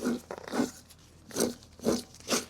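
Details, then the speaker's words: Rear differential from a Grizzly 700 ATV, out of the machine and found full of water: gritty crunching bursts as it is turned by hand, and the back bearing has a lot of play. Worn, water-damaged differential bearing. "you can really hear the bearing noise. And if you look here, how much play is here in this back bearing."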